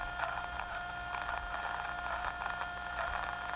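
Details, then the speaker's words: Irregular soft crackles over steady hiss in a hydraulic line: small amount of aeration, little air bubbles passing through, not audible without ultrasound, yet enough to damage slippers of a variable displacement pump. "You'll see some air bubbles popping through here. Hear the crackles? Those little bubbles go through there."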